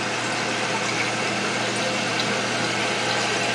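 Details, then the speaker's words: Toilet with a Fluidmaster fill valve, repaired after repeatedly leaking and refilling: steady even hiss of water flowing with no sputter or chatter as the float rises toward shutoff; the tank is filling normally. "So when the float goes up, the water shuts off. If the float goes down, it fills with water."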